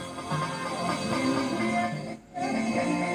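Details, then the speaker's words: PADON PX2000 power amplifier, no DC output on either channel and not going into protection: music plays rough and gritty with no clean passages on both left and right. Distorted output; the problem is suspected to be in the back panel, not confirmed. "Yan, oh, pangit tunog mga lods, left and right."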